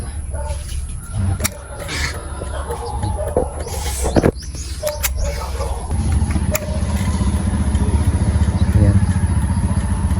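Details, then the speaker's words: Honda XRM 125 Fi 2022, 1 year 6 months old, 38,619 km, very cold engine right after washing, kick-started at 7:24 AM: settles into a steady even low putter, no knocks or rattles; healthy cold idle. "Pakinggan natin itong makina, paandarin natin, i-start natin kung ano ba ang tunog ng Honda XRM Fi na 1 year and 6 months sa morning starting na kakatapos lang i-washing."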